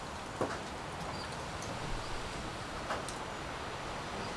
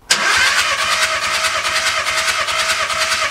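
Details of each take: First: VW Caddy diesel van, injector codes just coded in via the ECU: starter churns about two seconds in one burst and never catches; fault code then showed injector one still lacking power. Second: VW Caddy diesel that won't start, cranking during a compression test that read 25, 22, 24 and 24 bar, all within tolerance: even, steady cranking beat with no skipped strokes; normal cranking with even compression.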